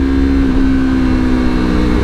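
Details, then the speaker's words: A Yamaha R3 with an Akrapovic slip-on exhaust, cruising in one gear on a test ride, gives a steady mid-pitched note and a soft rumbly burble as revs fall off throttle at lower RPM. This is the normal exhaust burble on deceleration. "almost got like a little burbly sound to it when you let go of the throttle and it starts coming down,"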